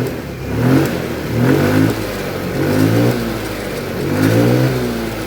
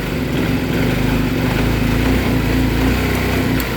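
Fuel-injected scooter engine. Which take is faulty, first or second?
second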